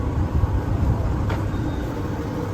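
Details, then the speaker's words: Electrolux tumble dryer after drum bearing replacement: low, even rumble with no knocking, squeal or scraping, drum turning smoothly and quietly; repaired bearing sounds healthy, normal drum operation. "There's not a single noise. This means it meets the requirements. The machine runs very quietly, operates very smoothly."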